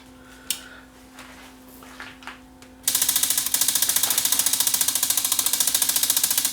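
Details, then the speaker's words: Bose Wave radio CD mechanism, powered up with deck lifted out: rapid sharp plastic clicking, three or four per second, gear teeth slipping; mechanism jammed by two discs loaded at once. "so I can hear a gear slipping here you can hear the teeth of a gear I can see it moving here"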